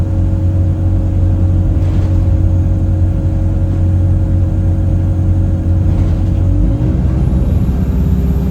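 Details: Chaserider 497 (YX67 UYA), Alexander Dennis Enviro 200 E20D diesel bus, felt sluggish: steady low horn-like droning tones with a whistle sliding upward near the end. Owner suspects the gearbox, as it was much louder towards the front. Not confirmed.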